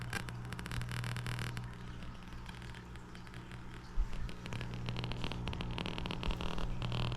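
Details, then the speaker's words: Monoprice 25 W per channel tube amplifier, no music playing: steady mains hum with irregular crackling pops from left channel only; swapping tubes and changing volume don't change it, owner suspects preamp stage. "seems to be coming from the Left Channel only I've already switched around these tubes and uh it didn't make a difference also since adjusting the volume doesn't seem to change the sound of the crackling I'm guessing it's the preamp stage"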